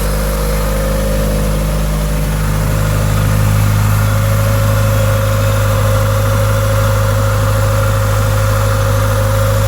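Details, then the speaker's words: 1988 Honda Accord, original ~339,000-mile fuel pump reinstalled, first run since October 2021 on old fuel, cold and running rich: steady, even idle with smooth low drone and faint hum; 40 psi fuel pressure, running cleanly. "so all right we're back running again so looking pretty good"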